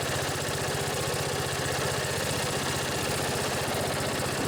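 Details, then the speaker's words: Old Briggs & Stratton riding mower engine, started after charging the battery: steady even thumping idle with no skips, knocks or surges; purrs, normal idle, though upper-end rpm could use work. "pretty sweet that old briggs just purrs like a kitten you could use a little work on the upper end rpms"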